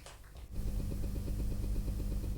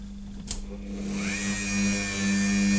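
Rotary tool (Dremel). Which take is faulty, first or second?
first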